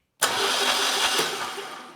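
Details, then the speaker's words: Generac standby generator V-twin 999cc engine (0J9333) out of the unit, pulled for low oil pressure shutdown; cranked via a switch on the solenoid trigger, steady fast starter whirr; gauge shows 50 PSI oil pressure at cranking, so the sensor is suspected. "the engine should crank, but you can see we're not building any oil pressure. Oh, wait a minute. We got 50 PSI at cranking speed, so that that's good."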